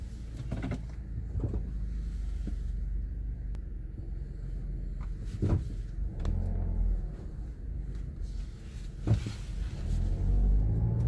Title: Creaking Sound while braking 2016 Mazda CX 5